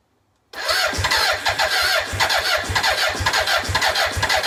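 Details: BMW K100: starter churns steadily about two pulses a second, engine never catches; crank no start.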